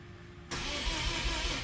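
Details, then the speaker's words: Mazda RX8 with 13B REW rotary swap on Haltech S2 ECU, first crank with base fuel and ignition maps: starter spins the engine at an even, steady rhythm with no grinding or dragging; normal cranking, RPM signal seen. "Now we want to make sure we've got some crank. Now hopefully we'll see some RPM."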